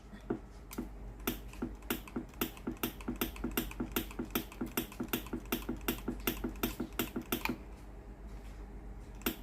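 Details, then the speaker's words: Philips PSG8160 steam iron: valve clicks rapidly and unevenly, almost three a second, with no steam coming out at the soleplate even once ready; boiler does not heat, failed boiler heating element, needing boiler part. "มีเสียงวาล์วน้ำทำงานไม่มีไอน้ำออกมาที่หน้าเตาปัญหาตามที่แจ้ง"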